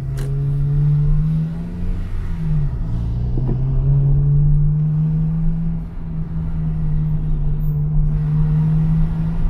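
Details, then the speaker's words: Honda Integra DC5 idling and revving in hot weather after a power steering purge and a small fluid top-up: even low hum, and the steering pump whine (worse when cold) is gone. The steering also feels much lighter. "Ah bah, tu vois, elle le fait plus le bruit là, tu vois. Ouais, elle le fait plus."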